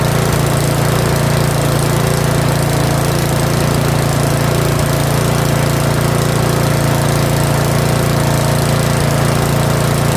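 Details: Curb-found Yard Machines 21-inch 179cc OHV snowblower, possibly old fuel, running after full throttle and still holding idle a hair above the stop: steady, even beat about 214 a minute, no misses or surging; normal steady running.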